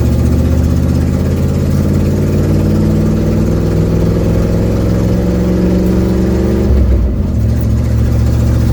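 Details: 1972 Ford Mustang driving home, phone in the dash, before repair: deep, loud engine drone climbing under throttle with a raspy, blatty edge over drive noise, from an exhaust leak.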